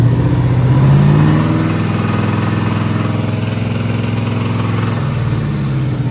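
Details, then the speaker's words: Terminator Cobra V8 idles loud and lumpy with an uneven, loping beat and a shaky low thump. It is misfiring on the passenger-side bank, where a plug check found a whole chunk missing from the top of a piston. "oh Smokey you can hear it it sounds hurt"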